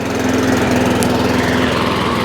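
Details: Honda IZY lawnmower after carburetor work for a fuel leak, now starting on choke: unsteady, wavering drone, hunting and not running properly; owner knows it's fuel, so the carburetor needs cleaning again.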